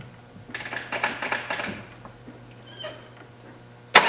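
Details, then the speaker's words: 1993 Jeep Cherokee XJ, no-start on a cold day: a second of quick uneven cranking with weak stumbles, won't fire; fuel pressure later held about 35 psi, so not fuel; owner doubts crankshaft position sensor, checking spark next. "we really try to start it we don't get anywhere it kind of sort of stumbles and rolls over a little bit"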